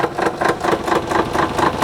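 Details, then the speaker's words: Cheap rally car with a suspected broken transmission, being towed by an Xterra over a rough dirt logging road: the engine runs with a lumpy, surging pulse about four times a second. The transmission is suspected but the exact cause is unconfirmed. "yeah it's it's definitely broken like i've never heard a transmission make that sound before but it's making it"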